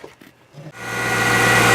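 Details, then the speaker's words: C5 Corvette (1997–2004) after replacing the accessory and AC belts and idler pulley to cure a squeal: engine fires and settles into an even idle with no squeal or chirp; accessory drive sounds healthy. "No squeaking."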